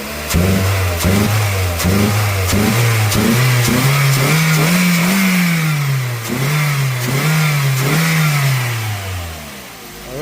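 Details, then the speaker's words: 2001 Toyota Corolla with loss-of-power complaint, dirty mass airflow sensor found (now 2.4 V): engine pitch climbs cleanly through rev blips and drops back without hesitation; normal revving. "So I'm making at least 2.4 volts off this mass airflow right now, and you hear the vehicle is, you know, revving out like it's supposed to."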